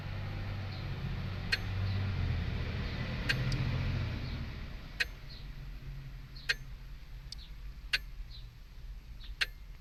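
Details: Jeep Wrangler no-start: sharp, dry, unevenly spaced clicks from behind the dash with no cranking. They start as soon as the battery is connected. The starting fuse checked good, and the starting relay, battery, starter and rear wheel cylinder are new. The owner suspects the brake-alarm relay or circuit.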